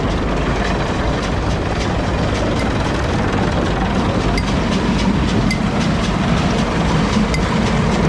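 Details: New Holland round baler on an International 1256 tractor after new bearings and chain: steady drone with even clatter of chains and rollers, no grinding or squeal; running smoothly.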